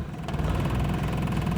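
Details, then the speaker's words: Carbureted engine that stalled when put in gear with AC on, after fitting an AC compressor clutch damper box; in gear with AC on, low steady idle thrum, no stumble or stall. "ผมเปิดแอร์จะไม่มีดับแล้วนะครับจะไม่มีหลับแล้วอย่าหลอกจะนิ่งเลยนะครับจะไม่มีดับล้ะนะครับ"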